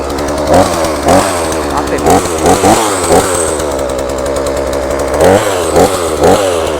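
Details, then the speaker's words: Chainsaw left unused several days, restarted after choke closed: small two-stroke buzzing steadily with short throttle blips rising and falling cleanly, no stumbling; normal running after first start. "พี่นี่แล้วก็สตาร์ทได้เลยนะครับมันก็ติดแล้วคือครั้งแรกมันก็จะสตาร์ทอย่างครับ"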